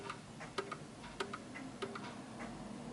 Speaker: as you can hear it's ticking more than talking and it will come to a [Music] stop